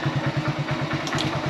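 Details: Engine just started with a Topdon JS2000 jump starter, fast idle on choke: even pulsing beat about nine per second, no misfires or clatter; running fine.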